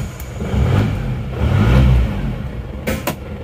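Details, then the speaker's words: Diesel engine after second overhaul with new genuine seal kit: cranks, catches and settles into a smooth even low rumble with no tapping; engine now runs smooth like new, a healthy start. "sekarang sudah R suaranya jadi ini sudah R seperti pter baru"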